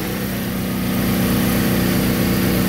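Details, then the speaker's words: DuroMax XP12000EH generator powering a whole house through a GenerLink transfer switch, fridge, freezers, humidifier and lights on; steady thrumming drone that climbs slightly and revs up and down as appliances cycle: normal running under load. "every single time an appliance turned off in on in the house you can hear the generator you know rev up and down up and down"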